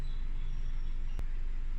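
Low, steady, even hum with no stumble or miss, apart from one brief tick. A warm four-cylinder idling smoothly.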